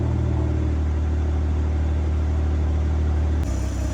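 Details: 2022 BMW M240i B58, just after an MST downpipe install with both O2 sensors reconnected, warm-up idle. Smooth, deep, steady rumble with no misses, ticks or exhaust-leak puffs. No check engine light; normal idle.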